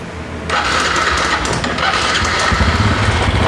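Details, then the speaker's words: Honda Revo Fit 110 motorcycle engine started and running: a rough, busy clatter diagnosed as a worn cam chain. "ketika suara mesin dilangsungkan juga dia terdengar kasar ya atau menggelitik belah Nah di sini juga saya bisa menganalisa bahwa ini mempunyai masalah pada rantai ketengnya"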